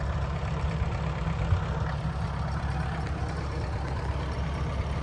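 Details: Ford 9N tractor: a low, even idle chugging steadily with no stumbles or missed beats, running smoothly, normal.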